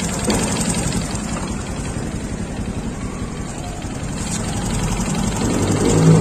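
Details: Honda Supra X motorcycle at idle: quick, fairly regular tak-tak-tak about four per second; piston slap from a worn oversize cylinder bore.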